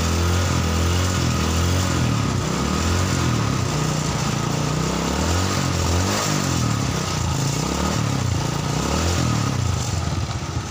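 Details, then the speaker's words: Carbureted Honda Supra Fit running on a used replacement spark plug after its bad plug was pulled; small uneven revs with pickup lagging and stumbling on each throttle opening, plug shows black combustion, carburetor to be serviced; throttle hesitation. "motor sudah hidup ya, cuman di sini seperti ada delay di gasnya itu. Jadi kita servis karburatornya dulu."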